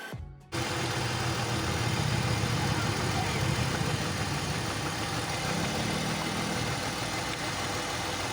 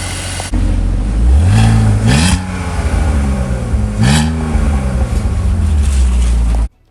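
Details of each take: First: BMW X3 with M54 engine at idle; uneven, loping idle with a soft stumble from misfires on cylinders 1 and 2, caused by two bad ignition coils, one dead and not firing, the other cracked and leaking spark. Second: BMW X3 M54 after replacing two bad ignition coils behind misfires including cylinder 2: engine catches and settles into a steady, even idle with a couple of light revs, no stumble.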